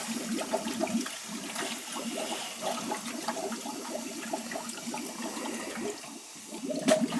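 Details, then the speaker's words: Hydronic boiler heating loop that was leaking water, with a bad expansion tank: purging through the hose gives steady rushing water with gurgling, sputtering air bubbles in the pipes until it goes quiet; air in the loop. "give it a good purge you can hear you can hear the air going in there there it comes"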